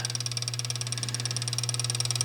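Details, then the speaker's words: 1948 Gottlieb Olde King Cole pinball machine: steady low transformer hum with a fast, even ticking on top from the line-voltage mechanical bicycle timer counting down about 7 minutes; normal operation. "so if you listen close you'll hear the hum of Transformer again it doesn't know the words so I'm sure it apologizes"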